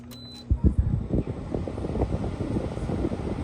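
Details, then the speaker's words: Frigidaire 2017 window heat pump, 8,000 BTU cool/7,000 BTU heat with electric strip heat, started in fan-only on low: brief startup clatter, then a steady low airy hum with even soft rumble; fan running normally. "That's fan only. That's low. Well, that's running."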